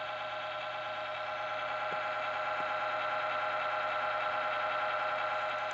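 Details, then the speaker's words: Laptop with a constant airy whir and steady high hum that never changes pitch; the fan runs hard nonstop. Loud fan noise, cause unclear. "you guys can someone can tell me why my computer is constantly running loud like the motors like it's loud"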